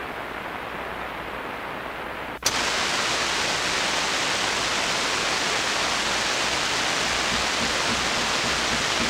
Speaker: The fact is, for me, if I listen to that kind of hiss and noise and that really carefully, I start hearing things. I start hearing voices and stuff that probably isn't really there.